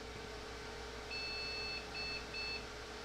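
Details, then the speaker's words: Late-'90s Cisco PIX 520 firewall (Intel board, Pentium II, 128 MB RAM) at power-on. Over steady fan hum comes one long beep then two short: a POST beep code signalling a fault. It then seeks the floppy and loops, likely a floppy problem. "bunch of unhappy beeps few moments later I can hear it trying to hit the floppy another beep"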